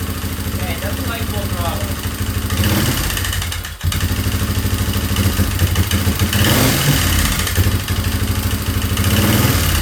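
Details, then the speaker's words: 2003 Yamaha Wolverine quad: uneven, lumpy single-cylinder beat that stumbles and surges instead of a steady idle; owner suspects cam timing and plans to recheck it. Rough running. "Okay, I think I'm going to check timing again cuz it's running like So, I'm going to try that again."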